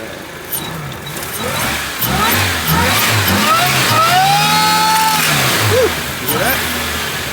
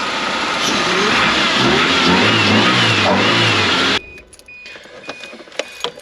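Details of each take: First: 1983 Toyota Sunrader motorhome with replacement supercharged 3RZ four-cylinder, idling; whine rising and falling with each rev over the engine note as the supercharger pulley visibly runs out of true: supercharger pulley wobble. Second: 1983 Toyota Sunrader motorhome, replacement supercharged 3RZ four-cylinder after pulley reinstalled, quiet engine with some oil leaks; climbs smoothly through several blips and drops back cleanly before shutting off, no wobble noise or chirp: normal revving.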